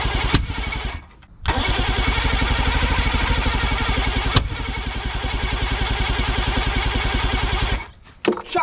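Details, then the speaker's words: Boat outboard motor on the starter, no proper fuel tank hookup: cranks at about three and a half turns a second with an occasional pop off starting spray; has spark and compression but never catches, wrong mixture without fuel supply. "but it's got spark compression it fires once in a while off of the spray and stuff but it's not it's not the right mixture"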